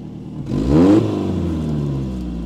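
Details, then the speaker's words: Peugeot 405 1.9L GRX4 carburettor, after adjustment with Colortune, choke pulled: quick rev rises then slowly settles to a steady raised fast idle with no hunting or clatter; choke fast idle working normally. "est normalement elle va avoir ras la tire un ralenti accéléré voilà tu auras de loi relatifs accéléré le plat"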